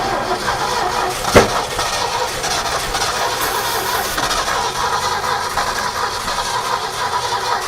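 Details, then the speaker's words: Abandoned 1969 Ford F100 that sat over 30 years, cranking: steady starter churn that never catches or speeds up. No fuel seen or heard pumping; suspected bad fuel pump or stuck carburettor float, and the distributor points may not be sparking consistently. "I don't hear it pumping nothing yet. Still no fuel. Fuel pump may not be any good, or it could be just the float stuck on it, or Yeah."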